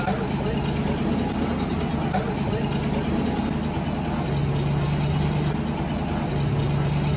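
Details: 1990 Ford Mustang V8 Fox Body convertible just started after sitting eight years: steady, deep, loud idle rumble throughout; owner says the exhaust seems loud and needs attention.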